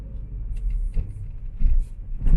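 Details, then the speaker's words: 2011 Scion tC after shock replacement, driven over railroad tracks with AC and fans off: three dull low thumps with no rattles or knocks after; the suspension is quiet and the earlier rattle is fixed. "No rattles. That's awesome. So that was my issue. And so that was my issue. This thing rides wonderful now."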